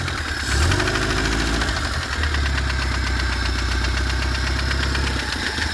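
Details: BMW E30 with M10B18 four-cylinder at idle: a dull knock tapping through a steady idle at engine rhythm; unexplained intermittent engine knock, cause unknown.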